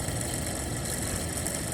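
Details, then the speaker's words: 2004 Winnebago Adventurer 33V coach heater blower motor on the bench after repair, now with three small washers instead of one big washer: steady whir with a thin high whine. Still audible but much quieter than with the big washer. "but it's not so bad it's a lot better than the bigger washer"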